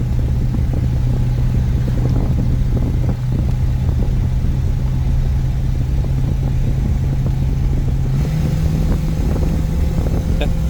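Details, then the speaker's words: 1950 Buick Super straight-eight OHV automatic cruising about 55 mph: loud, rough drone with puffing and ticking and a raspy exhaust note from a leaking exhaust gasket, which the owner plans to fix. "nope oh I can't wait to fix that exhaust gasket now"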